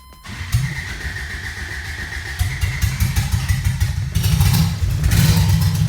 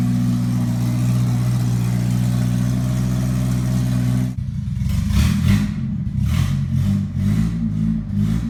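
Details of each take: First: 1980 Toyota pickup rat rod 20R engine, first start: catches and runs rough, uneven on gas poured into the carburettor; fuel pump was not pumping, line sucked only air; fuel starvation. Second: 1980 Toyota pickup, 20R four-cylinder with open shorty header, first start: loud, idles steadily then revs up and down in clean repeated blips with no knock or misfire; healthy, just noisy.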